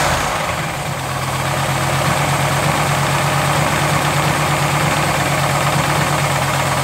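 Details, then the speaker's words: Ticking at idle on a custom-built 1985 Pontiac Firebird Trans Am with a built V8, restarted after refilling the oil. The idle is smooth and steady with a faint light tick, source unclear; afterwards the distributor was found loose. "there you have it the super weird Firebird is alive she's alive and actually runs really really good I'm hearing a little bit of ticking"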